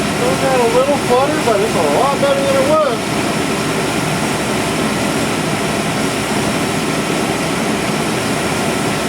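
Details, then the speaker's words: 1997 GMC 1500 5.7L Vortec V8 idling after fuel pump and plugged canister fuel filter replacement: steady, even hum with only a faint flutter underneath; normal idle. "well the fuel filter was definitely plugged got a little bit of flutter but i don't know that i'm going to worry about that too much"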